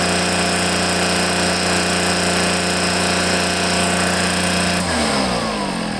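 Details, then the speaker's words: Echo PB500H blower with a replacement carburetor: flat, steady two-stroke drone for about five seconds, then dies away; smoking, running rich as the carb dumps fuel; the carburetor is blamed and replacing it is planned. "um yeah it's just running rich it's just dumping a lot of fuel in there so it's probably most likely this uh carburetor i got for it's no good"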